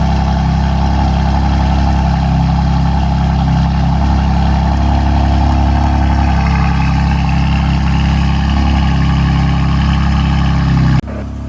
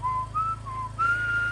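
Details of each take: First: BMW M4 S55 cold start after tappet cover replacement to cure a PCV whistle: steady, even idle with a deep rumble and no whistle, sounding normal. A drivetrain error fault appeared moments later. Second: BMW M4 S55 after cold start: high, thin whistle around 1 kHz wavering in short bursts over a low idle hum, the PCV whistling problem.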